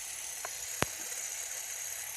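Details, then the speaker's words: RC motor after spraying with WD40 and running it in water to flush out silt: thin, steady high-pitched whine over watery hiss with one sharp click. It spins freely and evenly, sounding better with a bit more power. "Definitely sounding better. Sounds like it's got a little more power now."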